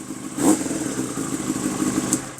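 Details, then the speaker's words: Yamaha R6 motorcycle running: loud, crisp engine with a quick rev blip, pulls cleanly, no knocks or rattles; very loud bike that shoots flames, sounds healthy. "I don't even know if this is capturing it, but yeah, it's pretty loud. It's a very loud bike. It also shoots flames. very loud. It sounds good. I like it."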